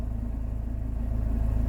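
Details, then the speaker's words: Worn gearbox bearings rumbling, heard in reverse and neutral at idle: a deep, fast pulsing rumble under the engine, worse than before, confirming suspected gearbox fault behind the car losing power despite a full engine service and new coil pack. "put it into reverse first I can hear bearing rumbling I can hear a lot of things going on here"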